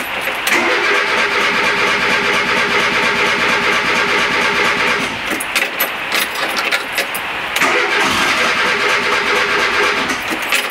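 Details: Vehicle on ethanol-blend fuel, cold start after starter motor replacement: brief crank, catches at once, settles into steady even run with no misses or knocks; runs much better since new starter; normal start and idle.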